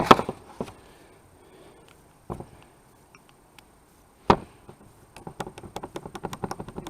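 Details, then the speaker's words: 1978 Toyota pickup, carbureted 20R engine, with erratic throttle and irregular idle: the throttle rod firewall hinge, removed and cleaned, is worked by hand. Sparse dry clicks, then loose ticks, slop from a worn flanged pin bushing that looks bronze or brass. "You can see down there, there's something going on the outside of that pin, which has to be a bushing."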